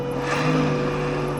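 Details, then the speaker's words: Renault Zoe second-generation (2019–2024) on a lift, wheels spun up, air-cooled traction motor running: steady low hum with a thin constant whine, noise clearly from the motor rather than the speaker; motor bearings to be replaced. "не, ну, здесь однозначно шум отсюда. С мотора ещё разгоняй."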